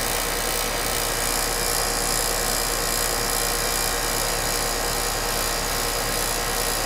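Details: HVAC condenser unit running after its bad 40+3 capacitor was replaced with a 40+5, using only the 40 side: steady even hum of compressor and fan with a constant airy rush and no clicks or chatter. Running normally.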